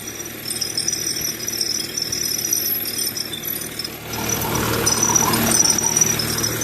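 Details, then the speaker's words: Running diesel truck with a 97-03 code: fast, uneven metallic high-pitched rattle with ringing edge growing louder; failing high-pressure fuel pump suspected, not confirmed. "You can just hear that rattle noise. I already know that's the [ __ ] pump."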